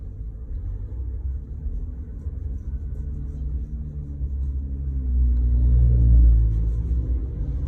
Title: 2020 Ford Ranger 10R80 transmission whining noise.